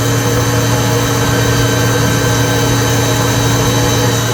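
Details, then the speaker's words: Citizen L20 CNC Swiss lathe at 7,000 rpm, heard at the back of the rotary guide bushing, with a brand new spindle drive: even, quiet hum with low tone and faint high whine, no knocks or grinding; normal running. "You can hear it very quiet. 7,000 RPM spindle."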